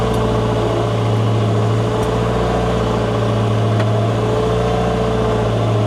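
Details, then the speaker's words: Wheel loader after repair, hydraulic pumps had stopped turning; new chain fitted, low revs: deep steady diesel drone, smooth hum, no chain slap or rattle; much quieter than old chain, normal running. "Nyt on kyllä paljon hiljaisempi tuo ketju. Nyt kun on uusi ketju, niin ihan niin kuin eri koneus tällä hetkellä."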